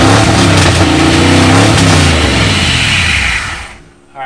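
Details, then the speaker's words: V8 Mercury Comet after sitting 31 years, new solenoid, radiator filled, good oil pressure verified: engine catches and runs on, revving up with a steady, even beat before throttle drops; normal running. "way up hey this thing runs cool shoot yeah good flip an obnoxious alright I"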